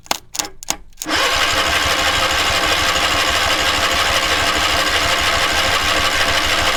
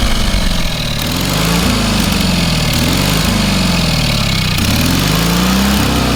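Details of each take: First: Pressure-lubricated engine on a trailer-mounted cherry picker man lift, water in the crankcase oil: two long bursts of fast even starter churning with a pause; cranks but will not start. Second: Small engine on a trailer-mounted cherry picker man lift, half throttle, water found in the oil and corroded intake: steady low running note, only slight speed wander, no knocks or misses; normal running.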